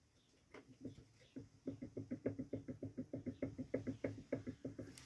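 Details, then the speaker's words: Electric lawn mower motor that hums but won't start; the rotor rocked by hand gives quick sharp clacks about three a second from play caused by worn bearings; motor to be disassembled. "Це люфтит ротор, а люфтит он по причине подшипников."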